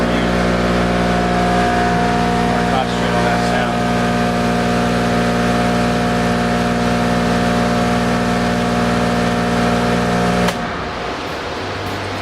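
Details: Airrex HSC-60 portable spot cooler with power legs L1 and L3 deliberately swapped out of phase: loud drone with high whining squeal as compressor runs wrong way, then compressor cuts out for 60-second protective countdown leaving only blower; can show E4 error.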